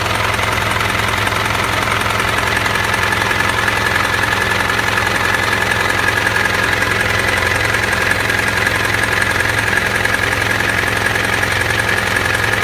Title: Strange noise